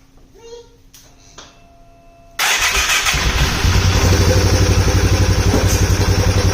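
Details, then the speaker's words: Polaris Sportsman 570 first start after rebuild, oil topped up after loss from an untightened cam chain tensioner, airbox lid off: lumpy thump near four beats a second with a loud hollow suck, likely intake noise; earlier tick suspected. "it's making an intake sound that I don't normally know if that's if it sounds like that because this lid is off and I don't have the lid so not 100% sure on that"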